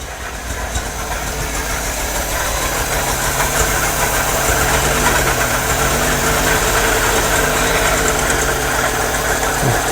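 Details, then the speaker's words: MGB 1800cc engine, newly started after years, coolant pipe changed: uneven lumpy cold idle with stumbling beat, no choke fitted; seems to run on only two or three cylinders, plug leads to be checked. Rough cold idle. "i don't think there's a chokes on the tool so that's probably why it's quite lumpy"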